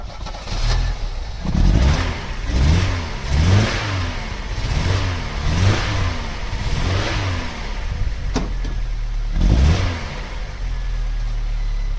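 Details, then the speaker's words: Vauxhall Cavalier GL, 1.8-litre engine with SRi 130 top end, 45,000 miles, new head gasket: revs blipped, stumbling and uneven with a lumpy idle beat; a misfire, plug leads suspected, not confirmed. "okay i tell a lie we have an actual misfire it's got wasp right compression tester"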